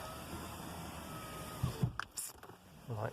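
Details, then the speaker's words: 2003 Audi A4 B6 with driver-side electric windows not working: passenger window tested from its own switch, ignition on, gives a steady, even motor hum for about 1.5 seconds ending in soft clunks; passenger window motor running normally. "if i uh check the passenger one using the switch over here it works"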